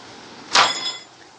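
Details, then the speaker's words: 2015 Ford Ka Sedan with a front suspension noise: single sharp metallic clack with a brief ringing tail as the removed strut is moved by hand. The recently replaced upper strut mount has broken. "Foi trocado o batente, certo? Recentemente, batente superior. E ele quebrou. Olha lá dentro. Quebrou, ó. Beleza, pessoal? É isso aí o barulho."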